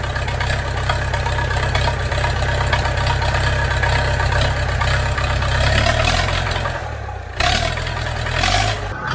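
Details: International B414 four-cylinder diesel tractor, unused for 20 years, just started with ether after long cranking and still on old sludgy oil: it settles into a steady, even low chug with no knocks or misses, running smoothly and sounding healthy.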